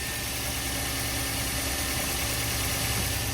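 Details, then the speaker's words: Toyota Avanza, previously overheated with engine work done, after replacing the alternator: the earlier rough noise from the belt area is gone. The engine now idles with a steady, even, smooth hum and sounds healthy. "hidupkan sekarang kita cek hidupnya bunyinya kasar apa enggak Oke Alhamdulillah bunyinya sudah nggak tadi seperti pas datang ya itu kan hancur Jadi sekarang sudah aman"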